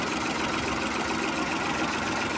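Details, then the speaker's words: Ford Ka after repair of a strange engine noise traced to the oil-bathed timing belt; the belt and head had been recently serviced, and only the tensioner was replaced. Now a steady, even normal idle with no slapping or rattle. "Ó, carro sem barulho. Fazendo um barulho normal aí."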